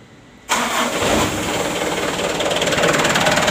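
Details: Mitsubishi Canter diesel fuel-cut motor tested through a home-made 24 V relay, switch and fuse circuit: crank catches after half a second and settles into a steady, even diesel idle with no misses or knocks; circuit works and engine starts normally.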